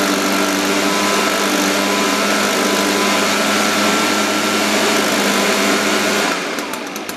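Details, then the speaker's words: Echo PB-580T leaf blower, older fuel, cold start, reported to bog on throttle, vacuum leak suspected: buzzy two-stroke drone at a slow, slightly uneven idle before cutting off; idle set too low, needs carburetor tune-up. "um i definitely think it needs to be tuned up the idle's a little low let's do that"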